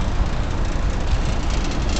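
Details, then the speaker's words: Ruud commercial rooftop unit running in air conditioning mode: heavy low rumble with uneven throb and rattle, unit vibrating and bouncing with the gas line jiggling; poorly balanced unit vibration, blamed on installation rather than equipment. "not the most balanced unit you can hear vibrating and bouncing away the gas line just jiggling back and forth it's a little suspect"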